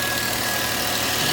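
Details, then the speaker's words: Six-cylinder Volvo V70 with a coolant leak and overheating, camera resting against the steering wheel: steady, even idle with no knocks or stumbles over a hissy background, smoother with less vibration; the engine now runs normally. "yeah I've got the camera resting against the steering wheel obviously it seems a lot smoother now not so much vibration now she seems okay"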